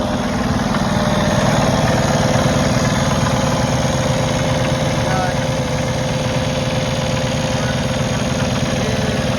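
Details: 2020 Kenworth T880 Cummins X15 after an overlay octopus harness restored 5 V supply to sensors and codes were cleared: steady, even diesel idle with a smooth low rumble, no misses or knocks; runs well.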